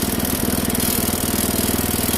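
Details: Kohler mower engine after carburetor choke adjustment fixed hard starting and narrow throttle range; quick even firing beat held steady without stumbling or surging, runs cleanly.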